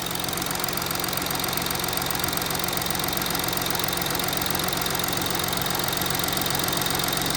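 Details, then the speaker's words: Audi A6 3.0 TDI 210 kW, 84,000 miles, warm idle with no fault codes: normal injector ticking over a gritty whirring, grinding noise; camshafts suspected, while another garage suggested the dual-mass flywheel. "I'm not sure how well you can hear it from the phone but I can definitely hear something"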